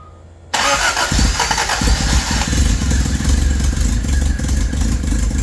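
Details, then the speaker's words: 1983 Toyota Tercel wagon 3A engine, first start after head gasket replacement, timing checked correct: loud raspy chuffing each firing pulse from exhaust left untightened; fix is tightening the exhaust. "all right the old rookie just didn't tighten the exhaust so yeah we'll go ahead and get that tight"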